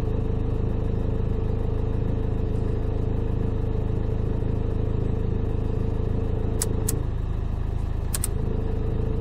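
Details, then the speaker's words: Dacia Duster, engine vibrating and rattling at idle from the PK belt side. Even fast rattle of about three beats a second appears with lights off (alternator unloaded) and stops under load. Damaged alternator overrunning (one-way) pulley, fixed by replacing the alternator pulley. "słyszycie dziwny pałac kurde chodzi tutaj z tej strony włączę wyłączę albo łożysko alternatora albo to łożysko kierunkowe czyli sprzęgiełko tak zwane"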